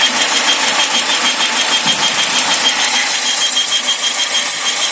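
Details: 2001 Saturn SL manual at idle: thin steady high whistle like a flute, persisting with the accessory belt removed; owner suspects it comes from the intake manifold area.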